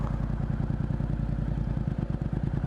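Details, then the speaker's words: Motorcycle idling stationary while the clutch is eased to its engagement point: even idle pulses slow and deepen slightly as the clutch bites, rpm starting to drop. Normal engagement, engine healthy. "약간 엔진 소리를 잘 들어 보세요 어 이게 디지털 터라서 잘 볼 수가 없는데 소리로 들으면은 약간 일정하다 RPM이 떨어지려고"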